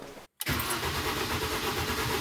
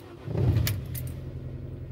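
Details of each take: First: Mini with recurring hard cold starts, fuel rail pressure test with fuel pump fuse removed: starter churns about three turns a second for several seconds, never catches; cranks without fuel, reproducing the cold-start symptom; starts almost instantly with fuse refitted. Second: Mini cold start at 8°C, battery tested at 540 of 640; quick crank catches in under 2 seconds (versus 2.4 s on an earlier hard start) and settles to a steady, even idle; normal cold start, though intermittent hard cold starting remains undiagnosed.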